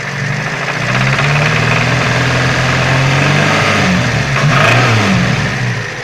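A rough knock rides in with the revs and eases back as they drop; something is knocking under load, cause not pinned down.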